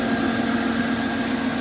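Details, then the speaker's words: 2002 Dodge Neon with idle hunting: a steady hiss over an even idle never lets up, air sucked through a hole in the accordion intake tube behind the throttle body; intake air leak. "all right just that simple there is a hole in the accordion tube for the air intake so um this is the piece of intake that is behind the throttle body"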